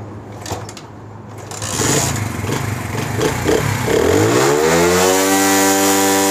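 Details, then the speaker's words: 70cc motorcycle with a misfiring fault, after ignition coil refitted and spark confirmed strong: after a few cranking sputters it catches, revs up under throttle and settles into an even, regular idle; no misfire, running normally. "तो दोस्तों जो यह bike को मैंने accelerator दिया accelerator इसलिए दिया की आप सब दोस्तों को इस चीज का एलम हो जाए की मोटर बाइक की जो एक्सीलेटर है आरपीएम है वह बिल्कुल ही परफेक्ट है उसके अंदर कोई मिसिंग नहीं है"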